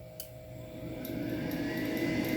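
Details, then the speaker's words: AromaO2 oxygen concentrator switched off then straight back on: steady electrical hum with strained buzz rising over about two seconds as the compressor fails to restart, the control board sounding about to burn up; needs a restart-delay timer. "and it sounds like something's about to burn up on the board when i do that"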